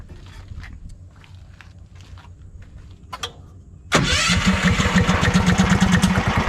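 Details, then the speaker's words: Predator 459 engine in golf cart build: starter catches about four seconds, settles into steady even low chug, no misses; idles low enough that belt doesn't spin, gear shifts easily. "So as you can see, the belt's not spinning, and I can put it in and out of gear very easily."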